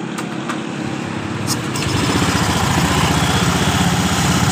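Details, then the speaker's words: Honda Scoopy eSP (2019–2020) scooter after installing CVT rollers: a few handling clicks, then the small engine fires and settles into a quick, even idle; test start after the roller job shows normal running. "kemudian coba kita hidupkan terlebih dahulu untuk memastikan Normal atau tidaknya"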